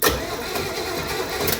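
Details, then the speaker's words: 1968 Camaro with a 327 and 4-speed, in neutral, no fuel, cranked via a jumper wire on the starter solenoid. Steady, even starter churning, no grinding or binding; the engine turns over freely, normal cranking. "that is an engine that cranks."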